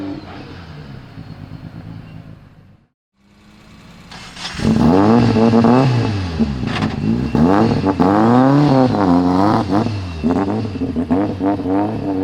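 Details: Mitsubishi Lancer Evo X converted to rear-wheel drive with a longitudinal 4G63 (500+ HP), in its first track test after four years: the idle dips, then hard revs climb and fall choppily and unevenly. It is misfiring, cause not found.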